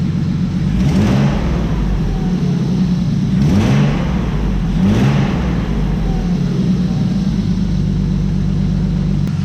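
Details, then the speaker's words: BMW engine after fixing a no-start problem with a noise: three clean throttle blips rising and falling smoothly back to a steady idle, no misses or rattles; normal revving. "Bueno chicos, escuchad cómo suena, que suena todo redondísimo y por eso me encanta este motor."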